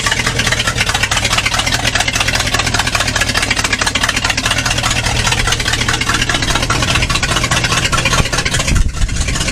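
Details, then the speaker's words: 1964 Chevrolet Impala 4-door hardtop, sat about 40 years (last registered 1982), now running: steady, even idle with a smooth low rumble, no tapping or knocking; the earlier noise is gone and it sounds healthy. "Well, that sounds better, eh? Awesome."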